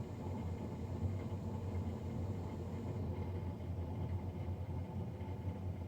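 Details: Navien NCB-240 boiler recorded three days after a Jan 31, 2020 service: steady, loud, low droning roar with no rhythm; combustion fan running noisier than it should, cause unclear.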